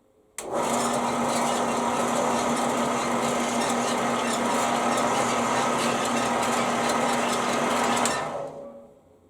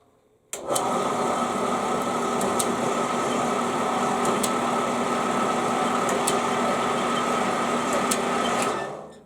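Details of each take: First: Band saw running with a freshly brazed bi-metal blade that has a slight hump at the joint: a steady, even whir with a light squeak that is normal for this saw, and no knocking or rubbing; running smoothly. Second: Band saw running with a home-brazed blade whose scarf joint overlapped too far, leaving the blade offset: steady motor hum with a sharp click about every two seconds as the joint passes the guide rollers.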